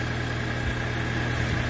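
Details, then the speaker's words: MK5 VW GTI after replacing the N80 purge valve for a purge flow error: starts smoothly, low steady warm idle hum with an even beat, no hunting, misfire or stumble, no errors; clean, healthy idle. "it's all back together now and start it up smoothly no issues no errors just a nice"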